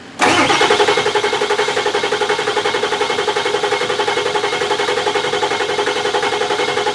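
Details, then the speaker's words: Ford Excursion 7.3 Powerstroke diesel, about 500 hp build with hybrid injectors, dual fuel pumps and a bigger KC turbo, first start after reassembly: catches instantly into an even, chattering idle at about 3-4 beats a second. Healthy, normal idle. "Listen at it. Purring like a kitten. Well, Sounds good."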